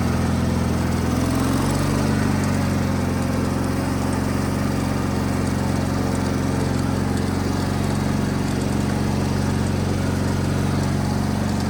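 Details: Wheel Horse 520H hydrostatic tractor running on its own gas tank, started by jumping the solenoid with a weak battery; even, steady engine pace throughout, no surging or misses; test drive successful, runs great.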